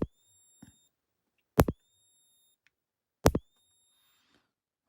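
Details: Rutland Electric Shepherd ESB25 electric fence energizer after repair of a no-click fault: sharp single clicks, each with a brief high ring, about every 1.7 seconds at an even pace; normal pulsing.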